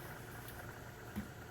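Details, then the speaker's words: Tufão household fan after lubricating its bearing with white aerosol grease/oil, previously squeaking like a scared mouse: now a quiet, even low hum with no squeak or chirp; fixed, running normally. "Resolvido, vou acionar ele aqui no som natural dele aqui para vocês ouvirem que não tá fazendo mais aquele barulho chato, ó."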